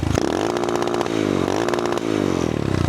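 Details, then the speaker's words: Adjustable rev limiter set to 8,000 rpm on a cheap Amazon pit bike with a newly installed replacement motor and old muffler: the single revs up hard, then chops and stutters against the cutout about once a second; limiter working as set. "So, the max we're going to go to is 8,000, actually, which again sounds like this,"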